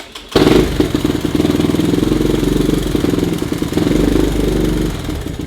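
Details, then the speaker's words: 1984 ATC single-cylinder after valve adjustment, cam chain tension and timing check, and a fresh spark plug replacing an old misfiring one: starts at once and idles with an even, steady thump, no misfire or detonation. "I kept trying to clean up that old plug and man I don't know how old that plug is but it seems to be running good now"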